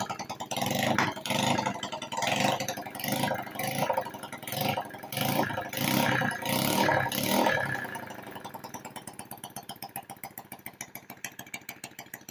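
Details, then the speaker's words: Honda Wave 100 motorcycle, running with no muffler after restoring ignition coil spark: loud unmuffled throttle blips, then even, steady idle with no skips; fires cleanly, no misfire. "Pakinggan natin ang tunog, pakiramdaman natin. At maingay pa to mga boss dahil wala itong muffler, no?"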